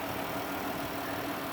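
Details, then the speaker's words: 2012 Dodge Caravan SE wheelchair van, 3.6 V6, about 1k miles, recorded under the hood: a quiet, even idle with a steady low tone and no ticks or knocks. Normal idle. "it has a 3.6 v6 engine idle smoothly sounds good"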